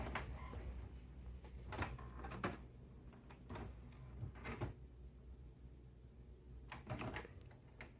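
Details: HP Smart Tank 617/517 printer, previously noisy, making a copy: short bursts of carriage travel and soft paper-feed thumps with quiet pauses, no rubbing; printing normally.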